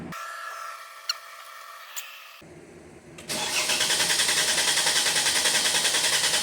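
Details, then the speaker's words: 2016 Mercedes GL450 M276 V6 twin-turbo with P0011/P0016 timing codes and a suspected shifted cam trigger wheel: deliberate crank-no-start with fuel cut for cam/crank waveform capture, starter cranking at an even beat about 3.5 per second without firing. "We are just going to get a crank no start. We're going to take the same cam and crank measurement."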